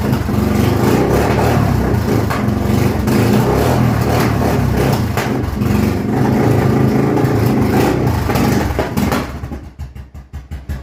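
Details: Customer's 2002 Yamaha V-Star 1100 V-twin, first start after more than a year of storage, on choke: fires up loud and lumpy with a few throttle blips, then drops to uneven pulses.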